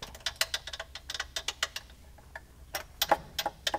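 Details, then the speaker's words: 2001 Ferrari 360 Modena, engine running, small upper belt idler pulley heard in engine bay: quick uneven metallic ticking and rattling from the worn idler pulley chattering; replacement pulley ordered. "that thing was just sitting there rattling away if it were to have failed it wouldn't have been a huge deal"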